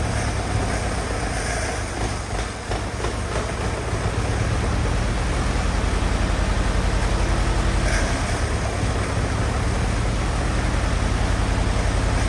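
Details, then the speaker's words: Old Willys Jeep, sitting for a few years, revived with little work (dirty fuel suspected): low, even chugging at about three and a half pulses a second, steady with no knocks or misses; healthy running. "she's a runner a dang it it sounds good go for a spin as you can see we got her runni"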